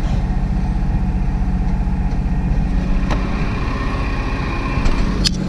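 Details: 1987 Oldsmobile project car, started after about five tries after sitting: low, uneven loping idle with a few clicks on top, some smoke; rough idle, cause not confirmed.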